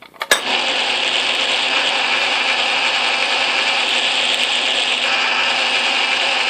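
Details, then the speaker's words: Atlas Craftsman lathe after shimming the tumbler gear to cure gear lash, carriage feed engaged: even, steady whir with light gear hum and no knocking or clatter; the gear train runs quietly and smoothly, far less racket than before the repair. "I think it's quite a bit quieter if you listen to this uh lathe in other videos it was making quite a strong racket I don't hear any substantial sound"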